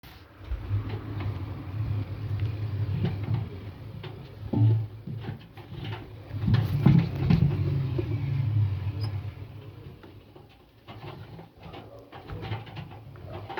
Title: indesit making squeaking noise . What is Wrong ?